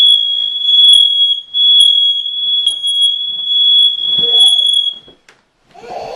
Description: The smoke detector was going on and off for 30 mins... so we thought it was a good time to teach Avari what to do when she hears it.